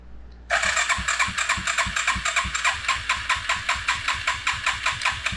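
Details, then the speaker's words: Suzuki Quadrunner LT 4WD ATV after carb work, vacuum-actuated mechanical fuel pump not primed, full choke: starter churns steadily with no firing; cranks but won't start, and a vacuum line was later found left disconnected. "So, this might take a minute to get it to turn over."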